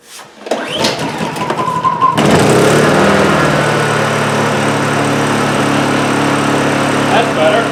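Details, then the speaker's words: Honda EU2000i inverter generator that would only run about a second, now repaired with a new muffler and exhaust gasket fitted. Started on choke, it catches after a sputter and settles into a smooth, quiet hum on eco throttle: normal running. "it is pretty quiet isn't it that's the Eco throttle wow it really is quiet"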